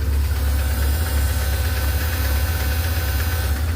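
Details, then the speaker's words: BMW R1150GS boxer twin, hot after a ride, four bars of oil temperature: light, uneven tick over the idle thrum that appears only once warm. Suspected to come from the lifters, not the cam chain tensioner; cause unconfirmed. "Sounds like it's Sounds like it's coming from the lifters right around in this area here to me. Cam chain tensioner is over here. And that's not where the noise is coming from."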